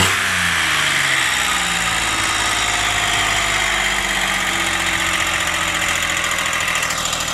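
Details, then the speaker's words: 2003 Ford Explorer 4.0 V6 first started after a timing chain and broken-guide job, no coolant in yet: loud, harsh, uneven clatter at idle. "it's running pretty noisy a little"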